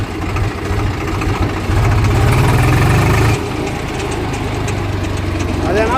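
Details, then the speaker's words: Swaraj 735 tractor under load on a trial run in second gear; a rough low drone from the right-side brake drum goes away when the brake is touched and returns when released; a worn brake drum bearing is suspected. "Break touch చేస్తే పోయింది break వదిలి పెడితే వస్తుంది."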